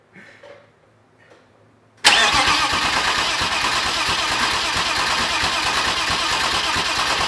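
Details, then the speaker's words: BMW M50/M52 straight-six turbo build, already filled with oil, cranked without firing before its first start to bring up oil pressure: brief quiet, then loud steady starter whir with even pulses for five seconds; normal priming crank. "And the engine already has oil in it so we can start cranking it to bring up the oil pressure."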